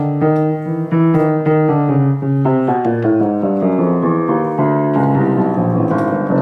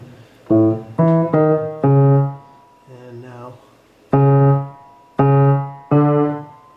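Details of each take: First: Very old rebuilt grand piano of unknown brand, with reshaped replacement hammers and broken hammer glue joints: notes land with a dull woody thud and clicky sound from a loose hammerhead, with felt worn away. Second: Very old rebuilt grand piano, after bending a damper wire to fix a buzzing note: several struck notes, still out of tune, ring and decay cleanly with no rattle or buzz; damper now seats properly.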